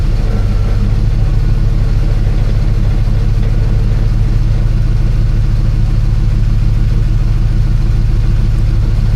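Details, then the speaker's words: After an exhaust repair (header welded, flanges, hangers and sensors reinstalled), the engine idles with a steady, deep hum and no ticking or puffing; no exhaust leak anymore. "Well, it definitely doesn't sound like there's an exhaust leak anymore, so that's good."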